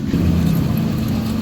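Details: Honda Scoopy FI scooter: steady low whine over the running drive from the final drive/axle area; gear oil changed days ago is already dirty again; axle seal to be replaced.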